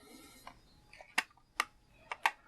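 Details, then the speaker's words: Battery-powered GE cassette player pressed to play: sharp, irregular clicks with no motor hum or tape drive; it ticks but won't play; owner suspects the belts slipped off or need replacing. "hit play it makes noises you can hear it but other but other than that oops no better it does not play"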